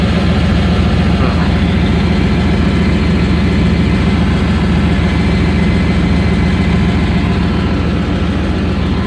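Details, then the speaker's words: Chevy Tahoe V8 just acquired, idling after start with good oil pressure and no smoke: deep rumble with a rapid, regular puff-puff pulse like an exhaust leak; under the truck the converter was found removed. Owner suspects exhaust leak. "i was saying that the exhaust is it sounds like it has an exhaust leak so i'm going to crawl under here real quick and see if i can see what's going on"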